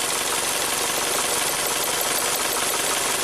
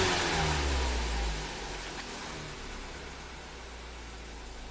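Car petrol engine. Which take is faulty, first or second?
first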